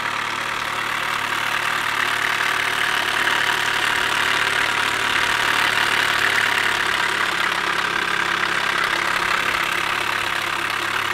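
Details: 2007 Chevy Cobalt SS supercharged at cold-start idle: steady loud ticking knock about two or three beats a second through a hissy idle; owner suspects bad timing chain tensioner, unconfirmed.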